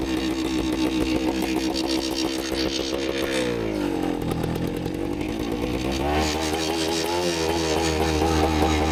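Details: 1973 Suzuki TS250 two-stroke revived after 25 years in a barn, carburetor recently adjusted, oil leaking at the front: running rich and blubbery, revs sagging then recovering unevenly; owner suspects the choke is still on, unconfirmed.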